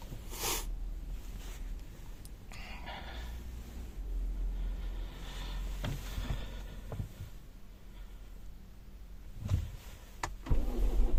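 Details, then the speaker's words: Renault Scenic 3 with M9R 2.0 dCi diesel after starter replacement: slow low thudding crank drags several seconds before catching; starts only 1 in 20–30 tries even with hand-primer pumping; long cranking, hard start. "завівся раз на раз на певно 20 чи 30 пробував грушу ще й додатково підкачав"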